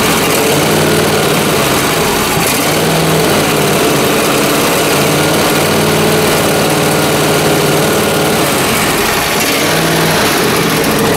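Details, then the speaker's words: John Deere Z355R zero-turn mower with Intek engine running with rising and falling surging speed. Partly closing the choke smooths it out, pointing to a fuel or carburetor issue. "When it's running, surging, and I push the choke closed a bit, it smooths out. So that's telling me right there that there's definitely some kind of fuel issue."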